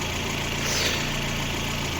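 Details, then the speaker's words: Warm Lada Granta idling as the cooling fan switches on, coolant rising in the expansion tank and expelling air: smooth, even idle under a strong, steady fan whoosh. Normal idle with cooling fan running. "Тобто він піднявся у нас ось цьї поділки аж сюда і оно воздух виганяє. Значить, есть есть момент. Опа, і пішов вентилятор."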